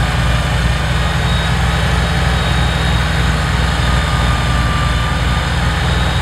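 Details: Kubota BX diesel tractor after fixing cold-weather fuel starvation (suspected gelled fuel): steady, even low diesel rumble with no knocks or misses under light load; everything working fine.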